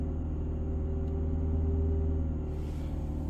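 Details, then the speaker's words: Fiat 500 Selespeed, throttle pedal held steady: revs slowly swell and sag, the drone rising then falling back; owner suspects the throttle pedal sending false signals, unconfirmed. "You can hear how much the rev's gone up. I think it's something to do with the throttle."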